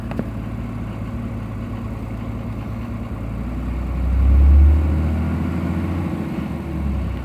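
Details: 2003 Cummins diesel, 176k miles, stock injectors, Smarty Touch on level 5, warm engine on a 60+ degree day: it holds high idle with a fast, uneven lope and a surge. The exhaust brake idles it down. The owner asks whether an injector is bad.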